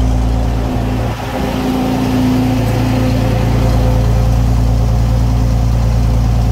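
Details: Restored Centurion tank main engine start, not on original fuel tanks, oil pressure good and climbing: deep, steady rumble held at a raised, even speed with no knocks or misses; healthy fast idle.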